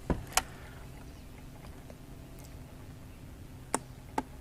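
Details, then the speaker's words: 2006 Honda Rancher TRX350 ES ATV not starting, battery already replaced: sharp single clicks seconds apart per button press, no cranking; single click, no crank, attributed to starter relay (solenoid), being replaced, starter motor possibly also. "You can hear that click when you just do one click like that. It's the solenoid relay for the starter."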